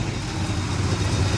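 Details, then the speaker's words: 1964 Chevrolet Impala SS convertible V8, long stored, running (it won't start from the key): deep, even burble at idle with a steady low rumble and no knocks or misses; normal idle. "I was sitting here running. Sounds good."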